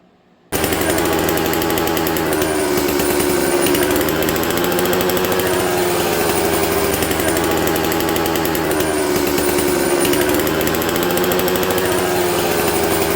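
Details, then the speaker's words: Dolmar 153 two-stroke chainsaw with faulty Bosch ignition, running on Opti2 mix: idles raspy and even, then idle pitch wavers and rises when the saw is turned on its side; air leaking past worn carburetor throttle shaft. "When I turned the saw down, it changed the idle speed. A saw shouldn't do that unless it's running out of fuel, friends."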